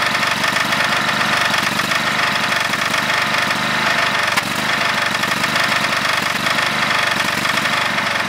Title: GT5000 Rod Knock.AVI